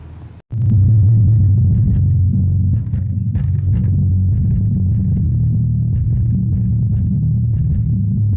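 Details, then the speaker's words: JBL SUB180/230 subwoofer, after repair of very low output at full volume (rusted board area): full, loud, clean bass with no buzzing or distortion; output now normal. "Oke ya. sudah bunyi dan banter. Sudah banter, sudah oke."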